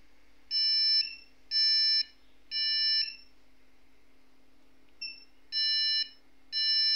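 Long high-pitched beeps repeat about once a second at startup, with no other sound, which is the memory beep code for missing or faulty RAM.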